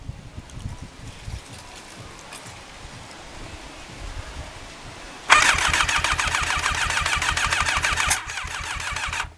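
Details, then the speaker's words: Rebuilt Thunderace engine first start attempt with petrol poured in: sluggish, labored starter at about three turns a second that never catches, possibly a faint attempt to fire; battery going flat. "well I thought I heard it try and Fire but this battery is getting a bit flat now"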